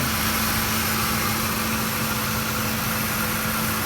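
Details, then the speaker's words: 2007 Ford F-150 5.4L V8 after a Spectre cold air intake install; even, steady idle with a smooth hum and no stumble, tick or miss, sounding free-flowing and unrestricted: normal idle. "makes that good noise. Like it's got a few more beans in it, and like it's free flowing and not restricted."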